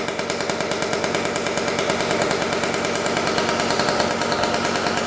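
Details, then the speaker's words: 1994 Honda CR125 two-stroke after the coolant-leaking cylinder/head was properly repaired and premix added: first start, fast crisp steady crackle, running well. Lots of old oil in the crankcase is burning off. "burning off all that old oil lots of oil probably in the crank case yet see it's burning off all doing good though"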